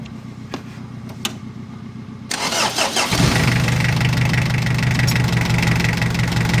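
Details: Mitsubishi Adventure 4D56 diesel after a starter motor rebuild (armature and carbon brushes) that fixed a click-only no-start: steady cranking for about two seconds, then a clean start and an even idle; starter working.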